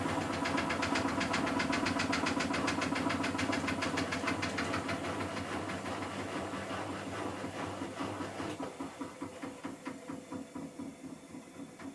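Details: Miele Softtronic W6544 washing machine with a loose drum: heavy regular thump each drum turn, about two a second, slowing as the spin coasts down; cracked drum spider letting the drum knock, though bearing damage had been suspected.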